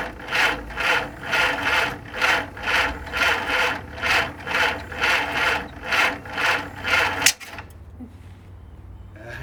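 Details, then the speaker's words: 1948 Willys CJ2A Jeep, sitting for decades, first start attempt after oil change, cleaned connections, fuel added and top dead center found: slow, even cranking about two strokes a second, no firing; owner later suspects distributor installation. Cranking without starting. "It's trying."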